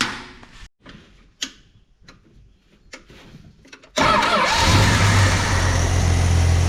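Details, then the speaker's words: 1969 International C1100 pickup repowered with Valiant 265 Hemi, after sitting years, no radiator: engine fires and holds a steady, even smooth idle; normal idle. "Oh, that's better. Sounds like a champ now."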